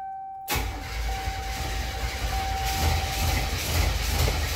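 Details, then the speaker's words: 1987 Buick Grand National turbo V6, first start after gas tank, fuel pump, sending unit and lines replaced; pump hums, then steady cranking without firing, still smells of old gas; cranks but won't start. "on it's not wanting to start [Music] not wanting to start shooting still smells like old gas"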